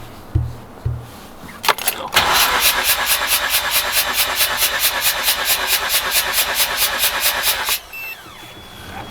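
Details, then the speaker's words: Mazda RX-8 rotary, daily driven for two years, cranking at about 275 RPM during a compression test: even, steady starter pulses about four a second with no weak beats; good, balanced compression (about 7.8–8.1 bar, adjusted for altitude and RPM). "so once it adjusted for altitude and RPM 8.1 7.9 that's actually pretty good"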